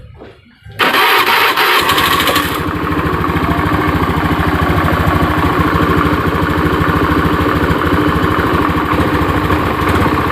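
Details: Honda Beat FI fuel-injected scooter after the no-ignition fault was repaired and connectors refitted: starter whirr, then catches at once into an even idle about 200 beats a minute; normal start and idle.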